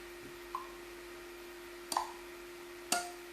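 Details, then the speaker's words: Sonoff Basic ESP8266 relay box as Telegram-controlled smart garage door opener, triggered to open or close: two crisp single clicks about a second apart over a faint steady hum; relay switching normally. "So you heard the clicking noise, and it will also send a message that the garage door was moved successfully."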